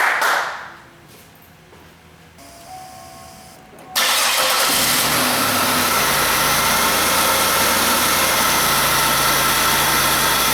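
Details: Buick LeSabre 3.8 L GM 3800 after replacing leaking coolant elbows/tensioner housing, water pump and thermostat; quiet at first, catches about four seconds in and settles into a steady, even idle with no misses or knocks. Normal idle.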